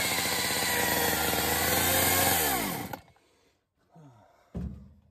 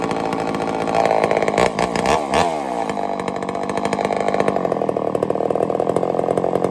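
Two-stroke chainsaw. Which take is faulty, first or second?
first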